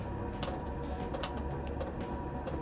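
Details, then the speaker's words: Budget Chinese diesel air heater on a bench test at startup, glow plug heating the burn chamber: sharp evenly spaced ticks about every third of a second over a quiet hum as the fuel dosing pump activates; normal fuel pump clicking. "So now the pump is activated, you'll know by this clicking sound, and when it starts, you'll hear the exhaust pulse."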